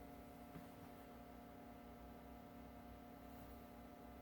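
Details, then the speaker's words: 1937 Westinghouse WR-212 broadcast/shortwave radio, first power-up on a variac at about 90–100 volts: very faint, steady low hum from the speaker with no crackle or buzz, showing the audio stage is working. "I'll start to hear something I'm here in a very very tiny home in that speaker that's actually good tells me the audio is working"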